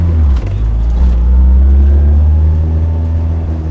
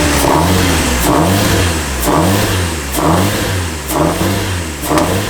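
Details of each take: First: Turbo Nissan S14 on a test drive, with a suspected boost leak; deep, loud engine drone holding steady under load with no stumble, surge or hesitation, much quicker and more responsive throttle; engine pulling cleanly. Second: Turbo Nissan S14, injectors unplugged: lumpy idle surging and sagging about once a second, never settling; still running on raw fuel and oil flooding the intake.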